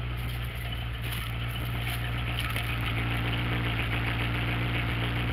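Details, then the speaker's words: V8 Ford Ranchero, cold, after reattaching a passenger-side exhaust pipe that had come loose: smooth, even idle with a steady deep exhaust note and no puffing; exhaust leak fixed. "Now it's running nice and smooth. Well, it's cold, but when it was hot, it was running good."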